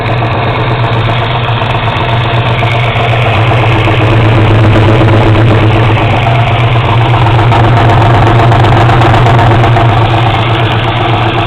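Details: 1970 Camaro 350 built near-LT1, 10.25:1 forged pistons, LT1 aluminum intake and carburetor, running on a stand with exhaust: deep even V8 burble, about four pulses a second, no knocks or ticks; normal idle.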